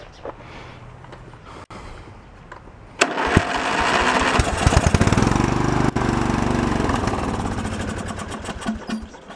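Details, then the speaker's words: Junk lawn tractor's small engine, which has spark and a full fuel tank, cranked after priming with choke on: starter spins steadily for several seconds but it never fires; not getting fuel, or the carb is bad. "yeah so it's not getting any fuel or the fuel or the carb is crappy let's go for one more time"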